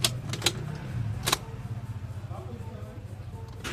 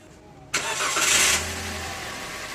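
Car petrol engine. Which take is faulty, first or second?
first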